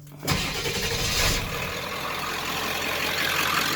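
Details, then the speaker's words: 1995 Ford F250 7.3 Powerstroke extended cab, 180,000 miles, stock intake, untuned, Royal Purple oil: cold start after a glow plug cycle. Brief crank, catches quickly, even diesel clatter at idle, no stumbling, no smoke, no check engine lights. Healthy cold start. "no smoke when you start it nothing like that"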